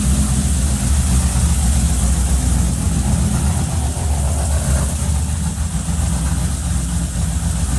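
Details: Cadillac CTS-V with freshly rebuilt engine, custom 13:1 compression, CNC-ported LS3 top end, E85 fuel, first start: loud, deep idle with even steady beat, no ticks or knocks.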